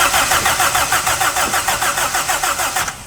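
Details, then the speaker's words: Car unused for 10 years, first start attempt: starter spins engine strongly and evenly about three turns a second but it never fires; no spark suspected, possibly something misaligned. "Kayak nggak ada apinya sih. Iya, kayaknya meleset itunya tuh."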